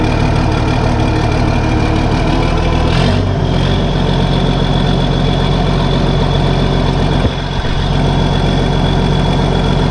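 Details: Case 1450B dozer with freshly rebuilt diesel engine, first running after reassembly, oil pressure coming up to about 40 psi: deep, steady idle with even firing and no knocks or rattles.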